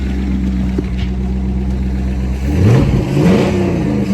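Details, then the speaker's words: Corvette C5 V8, abandoned crash-damaged non-runner first started after repairs: slight miss at first, then deep even burble rising cleanly on throttle blips without stumbling; healthy running. "oh it sounds nicey days oh Chris I hate to say it but I think it sounds better than the than the red one had a little bit of a miss when when I first started it but it seems like it's smoothed itself"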